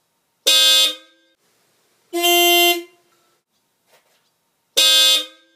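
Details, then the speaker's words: Dodge Ram 50 / Mitsubishi Mighty Max with newly installed Hella Supertone horns on relay, 600-volt-rated wire: three loud, bright blasts about two seconds apart, clean steady full tone cutting off sharply; horns working properly. "But yeah, that's it. Just tested it out. It works."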